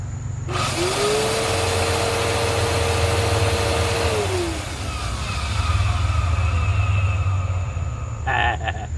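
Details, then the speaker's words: 2012 Bissell Powerforce Helix Turbo upright vacuum, curb find with rusted, stiff brushroll; motor spins up to a steady hum with rough, gravelly undertone, then coasts down. All four bearings worn, motor bearings bad. "Bad bearings and bad bearings. But you know, that's the way it goes, right?"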